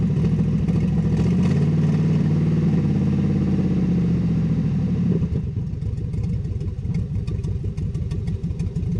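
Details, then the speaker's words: 6.0 LS V8 Silverado with an NV4500 manual, sat 12 years, stripped of parts and with a blown clutch: a loud, raspy rev settling into a rough, chattering idle, because the exhaust is ripped off at the manifold. "the exhaust is ripped right off at the manifold there so it sounds pretty rough"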